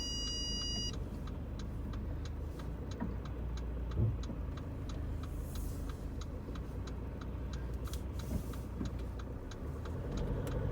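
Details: Driving a car: soft road drone with light, irregular tapping about every half second from the rear; cause unknown, possibly the boot or sunroof.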